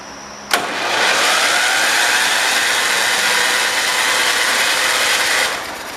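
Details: 1971 John Deere 140 H3 garden tractor, starter tested back on the tractor: a steady, even, unloaded high whir for about five seconds; the starter spins freely and works.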